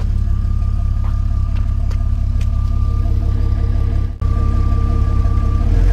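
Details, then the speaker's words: 2000 Jeep Cherokee XJ Classic engine started for a listen: steady, even rumble with a low, smooth firing beat and no knocks or rattles, so the engine sounds healthy. "so i'm just gonna start it up for you real quick and let you hear the engine"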